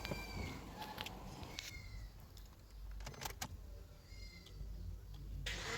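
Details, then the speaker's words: Suzuki engine that overheated, stalled while running and wouldn't restart; spark plugs badly worn and oil in the coil boots, plugs and coils fitted: starter spins fast and light with no compression pulses; blown head gasket from overheating. "কিন্তু তারপরও engine ক্র্যাঙ্কিং করলাম self মারার পর কোন compression নাই cylinder একদম free হতেছে so এটার যে সমস্যা মূলত এটার গ্যাসকেটের প্রবলেম হয়ে গেছে"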